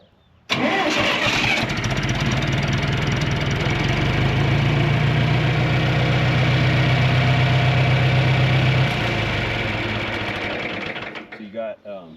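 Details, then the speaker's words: John Deere tractor cold start with choke and a few shots of ether while cranking: brief cranking, then it fires and settles into a steady even chug at about four beats a second; clean cold start. "And then I get ready and I hit the start button and I spray some ether, just a few shots, and then I keep cranking it and it should fire off. It'll usually idle pretty good."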